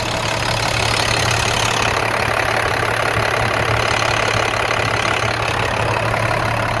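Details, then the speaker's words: 2007 International 4400 grapple truck, DT466 diesel with Allison transmission, at idle; even diesel clatter over a low drone with no knock or stumble; engine sounds good. "2007 grapple truck with a DT 466 and an Allison Transmission motor sounds good body is straight appeared to be complete"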